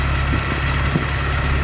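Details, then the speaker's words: Porsche 944 four-cylinder, on the second day of ownership, had to be jump-started after a dead battery. Once running it idles with a steady, even low rumble and no misses or knocks, sounding healthy. "but anyway the current sounds great it's running good I hope you can hear it I hope it's not overwhelming but it sounds great"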